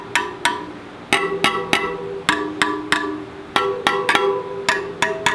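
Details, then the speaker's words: Rad City e-bike wheel spokes plucked during assembly: they ring at clearly different pitches, with the spokes on one side all different and several lower (looser). Tension is uneven, and the spokes, including the back wheel, need retightening. "Well, it seems like the ones on one side are all a different pitch. I thought they would be the same."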